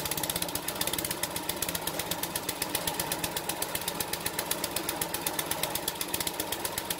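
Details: King O Lawn edger, 2hp horizontal-shaft engine, after carb clean and jetting, drill-started on choke for a test run: quick, steady popping beat of about four firings a second, even rhythm; running properly.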